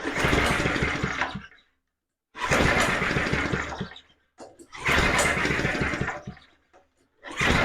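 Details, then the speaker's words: Alpina RS100 lawn mower, engine possibly had water in it, fuel reaching the carb bowl: repeated pull-start bursts about every 2.5 seconds catch briefly then fade. It sounds about to go but never starts. "Sounds like it's just about to go. But then again, no."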